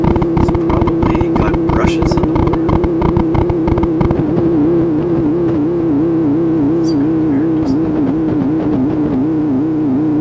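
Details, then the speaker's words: TACT TPR-61 mini record player on phono: wavering hum with a slow wobble and scratchy clicks from the speaker; suspected that motor current variations pass through the shared battery supply into the amplifier. "variations in the amount of current being drawn by the motor as it rubs and does various other things that variation could be transmitted through the battery power supply into the amplifier come out the speaker that's what it kind of sounds like"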